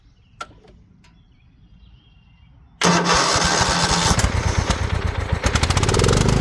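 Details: Craftsman LT2000 riding mower: a few seconds of quiet, then it catches at once and settles into a steady, even putter with no misses; starts and runs normally.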